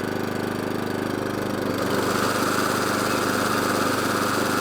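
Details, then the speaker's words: Atco Balmoral 14SK with Kawasaki FJ100D engine, after carburetor clean for will-only-run-on-choke fault, warmed up and off choke: steady even beat at full throttle and idle, no hunting or surging, cylinder engaged; running well. "So, as you see, that's off choke now. That's running lovely. Full throttle. Lovely. Onto idle. Lovely."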